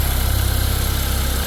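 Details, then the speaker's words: Car with a heat complaint, on first start after a new drive belt and coolant refill. An air pocket is likely, with bubbles rising in the reservoir. Steady, even low idle with a smooth regular pulse and no knocks, ticks or belt squeal: normal, healthy idle. "Well, let's start it up. Make sure everything seems okay with the belt and whatnot."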